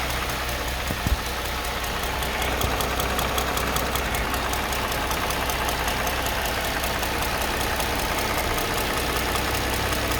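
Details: Mercedes M272 engine between 700 and 1500 rpm: light, quick top-end tapping over a smooth idle with a faint background squeak; cause unknown.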